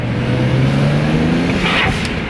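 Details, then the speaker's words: BMW 335i with a new charge pipe and Tial blow-off valve replacing the diverter valves, on the road at about 18 psi boost; engine note climbs under throttle, then a short sharp whoosh on lift-off as the valve vents normally. "damn. Shit. It's at like 18 PSI. That motherfucker different. I like that."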